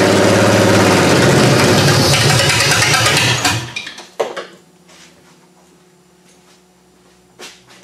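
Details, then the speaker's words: Chevy 3100 V6 swapped into a Camry, first start-up, running better after firing-order check: lumpy, uneven idle for a few seconds before fading; owner suspects nearly two-year-old gas; rough idle. "well I've got it running better it still doesn't sound that right to me I know there's a couple issues still with this one being that gas is almost two years old so I think that's one of the big things that's wrong with this right now"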